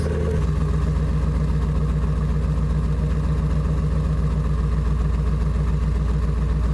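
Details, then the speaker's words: Saleen S331 Supertruck V8 with headers starts and settles into a loud, deep, even burble with heavy low drone, before revs; healthy idle, louder than the stock Saleen setup. "The headers make this thing way noisier. It's way louder than even the stock Saleen setup. That's loud. Tons of drone."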